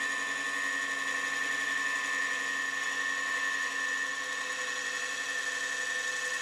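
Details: Walnut chip-and-dip bowl on the lathe: steady, thin high-pitched squeal over the cut without letting up as the thinning bowl wall vibrates; less bad than some earlier cuts, wall and bottom thickness being checked.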